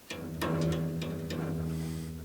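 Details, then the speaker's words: Porter-Cable bandsaw blade with Carter quick release tension lever engaged, plucked by hand; sharp plucks ring into a deep lasting bass note like a guitar string, correct blade tension. "Right now I got good tension on it. It almost sounds like a guitar string. I don't know what key it's in."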